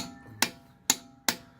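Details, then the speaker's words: Torque wrench tightening finger-tight wheel nuts; three crisp, sharp clicks about half a second apart as each nut reaches its set torque, the wrench releasing cleanly as it should. "So you've done your wheel nuts up finger tight, and you listen to this thing when it goes around. As it gets tight, it clicks."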